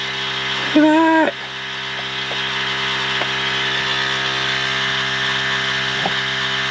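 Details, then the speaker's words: 1973 Peterbilt 352 cabover with a 12V71 Detroit Diesel, first run since 1984, warming up: steady, even drone with no knocks or misses and a brief tonal blip early on; smooth normal idle. "it just runs so nice boys i am totally in love i cannot wait to drive this thing"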